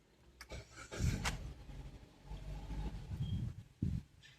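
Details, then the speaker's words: 2014 Jeep Patriot after Wireless Control Module replacement and PIN programming, keys not yet programmed: engine fires with a brief low rumble, then dies within a second or two; immobilizer cuts it. "and died immediately"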